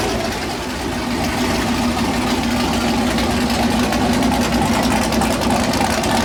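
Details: First start of a freshly built 408 LS stroker V8 on a new ECU, air-fuel around 13.3, owner suspects slightly lean: loping, uneven idle with a choppy beat and steady exhaust rumble, lumpy from the big cam, otherwise healthy.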